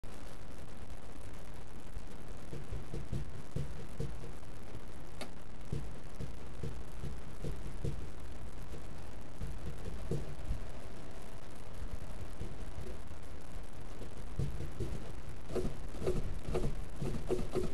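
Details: Low, steady growling rumble with faint ticking from a moving car; bad wheel bearing, which later seized up.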